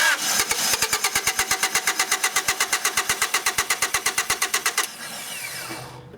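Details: 1993 Honda Accord with hot no-start, bad fuel pump: even cranking at about six turns a second with a few weak catches that never take; runs only when carb cleaner is sprayed into the air intake.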